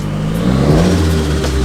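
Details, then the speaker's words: Toyota MR2 the day after its exhaust leak was sealed with silicone, following a test drive: the engine revs smoothly with a deep, steady exhaust note and no ticking or puffing, so there is no leak. "Now the next day of getting the exhaust all sealed up. Everything's working really well."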